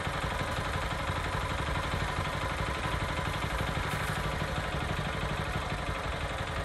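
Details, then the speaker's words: Small petrol mini tiller (cultivator) engine that lacked power, running after its clogged air cleaner was dealt with: steady, even buzz with light clatter, no misses or surging, running well. "これだと調子がいいですね"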